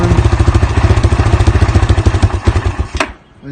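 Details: Yamaha Grizzly 700 ATV, 2007, early fuel-injected model: single-cylinder thumping stumbles and changes spacing, pulses fading until it nearly dies; uneven running recorded before the machine arrived, cause not yet known.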